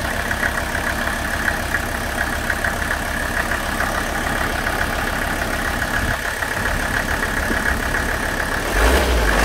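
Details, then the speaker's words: Warm Mercedes OM617 diesel with new high-output injectors, return lines and fuel filter, run during a Diesel Purge injector and pump cleaning: an even clatter at about three to four beats a second with no misses or knocks; a healthy idle. "it really runs pretty good after the new injectors and we've got the fuel lines hooked back up"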